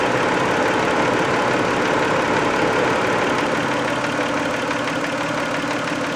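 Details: Warm 1990 Toyota Camry 2VZ-FE V6 idling after a 15-minute drive, light even top-end tapping about three per second; knock only when warm, later cleared itself; owner guesses sludge/varnish on a shim/bucket, unconfirmed.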